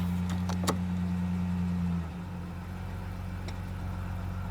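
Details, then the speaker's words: 2000 Ford Ranger XLT, long-sitting, engine reportedly replaced a year before owner's death; steady low idle, note dropping smoothly when put in gear, clean running with no knocks; sounds good. "Huh. Yeah, that sounds pretty good. Yeah. Shit, it sounds better than your truck did."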